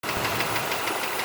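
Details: 2006 Ford Escape 3.0L V6 running steadily with a sharp, evenly spaced knock about six a second; source not pinned down.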